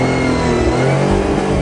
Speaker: shut her down well not after a little Rev of course